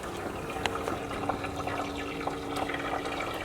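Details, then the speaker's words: 572ci 481X racing engine after valve lash check and fresh oil, moisture found in the old oil, oil pan heater plugged in under a minute: soft, steady sizzle with small pops and crackles as it boils water out of the oil. "so before we fire it up we're going to put the plug the oil pan heater up if you get close you can actually hear it going to work on the"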